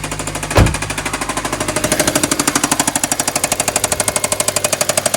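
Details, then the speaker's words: Hyundai bought back, first start, oil dirty: the engine catches, then settles into a heavy, rapid metallic knock about ten times a second at idle; a deep internal knock, cause unconfirmed. "We got it started. However, we got a little bit of knocking."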